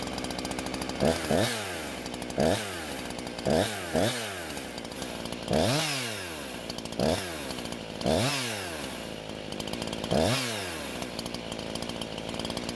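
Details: Husqvarna chainsaw that wouldn't start, now fitted with an aftermarket carb, on 89-octane ethanol-free gas with synthetic two-stroke oil at 50:1; clean crisp rev bursts every second or so, falling back to steady idle between cuts; runs very well.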